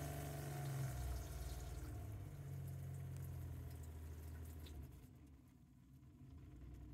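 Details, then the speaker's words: Truck camper RV water pump with added pump speed controller: low soft hum easing down as sink flow is trickled, running continuously without cycling on and off or hammering. Normal low-flow operation. "it'll go super super slow and we can just trickle water here just trickle water and it doesn't cycle on and off it doesn't hammer"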